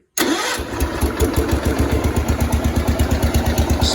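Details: 1971 140 H3 tractor checked after an oil leak fix (missing drain O-ring): brief crank, then it catches at once and settles into a steady, even idle thump. It starts well after sitting about a year, stays dry, and creeps badly.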